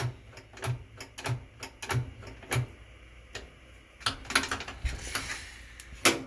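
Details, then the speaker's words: Whirlpool washer with bad lid safety switch: only light, uneven timer ticks and clicks, motor fails to start; faulty lid switch, to be bypassed by wiring its two wires together. "see my switch is really bad so I'm gonna have to rig it probably"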